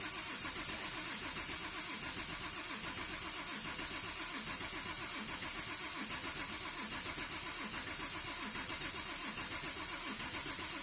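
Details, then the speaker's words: Porsche 997.2 that has never started, plugs still in: steady cranking at about seventy turns a minute that never catches. Fuel pressure builds, no fuel leaks, no DME fault codes, compression sounds good; fouled spark plugs suspected, not confirmed. "it's trying to fire but doesn't want to fall it doesn't it's looking like it's one to fire it wants to fire but it's not firing"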